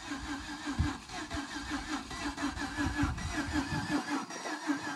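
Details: Jeep Grand Cherokee, already damaged from jumping, being tow-started on flat ground: the engine drags through slow, uneven cranking pulses that try to catch but never settle into a run; gasoline smell, a sticking piston suspected, not confirmed.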